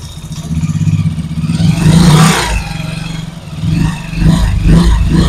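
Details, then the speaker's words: Motorcycle gearbox under load (rear brake held while the clutch is released): an uneven clattering growl that swells as the clutch takes up and is absent with no load; worn gearbox gear. "जब मैं थोड़ा सा load डालता हूं जब हम clutch छोड़ते तो पीछे वल पर जोर होता है इसकी वजह से फिर आवाज पैदा होती है खाली प नहीं पैदा होती"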